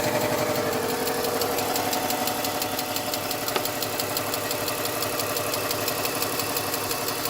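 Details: BMW 325xiT manual all-wheel-drive wagon, bought non-running from an auction with front-end damage: steady idle with a fast, fairly even tick about three a second; source unknown, owner hopes it goes away.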